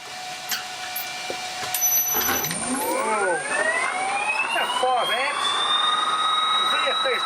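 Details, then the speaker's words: Generator driven through a Huanyang VFD, restarted under load after stalling: a whine climbs in pitch, then levels to an even high tone as the motor reaches speed and holds. Normal running; the VFD draws 5 A, about 2 A on the mains. "It should run this thing without any drama, but it took a bit of stalling there as I loaded it up. Let's start it under load again."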